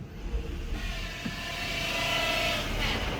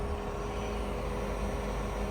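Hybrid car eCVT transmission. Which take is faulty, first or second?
first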